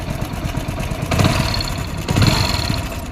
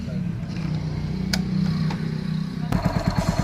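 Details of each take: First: Hero Splendor motorcycle single-cylinder at idle before timing chain replacement: fast, loose clatter that thickens on each blip, the timing chain badly worn out. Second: Hero Splendor single-cylinder motorcycle after timing chain replacement: low, even idle without rattle, then clean throttle blips; the heavy noise heard before the repair is gone.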